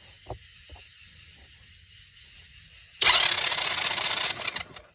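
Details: Kid-sized Tao Chinese quad with the plug out for a spark check, so no compression load: a brief, free-spinning, even starter whirr; healthy cranking.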